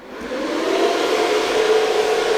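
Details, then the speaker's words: Open-air GPU mining rig on a 2000 W Bitcoin-mining server-style ATX power supply with 80 mm fans, on a 20 A 120 V circuit, just powered on: loud steady rushing whoosh, tone climbing as fans spin up; too loud. "it's loud yeah okay yeah this server PSU are it's an ATX but it's a one of those Bitcoin mining server power supplies and the 80 mil fans that is yeah that's too loud"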